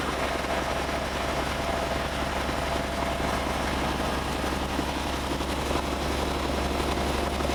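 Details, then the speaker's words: Heavy-duty diesel truck at roadside after battery replacement, idling: steady low clatter with a slightly uneven, lumpy beat; scan shows misfire on cylinder 5, injector not yet identified, also DPF high absorption code. "It also has a misfire on number 5 cylinder. I would like to attempt the cylinder cutout to see if I can hear any differences between the injectors."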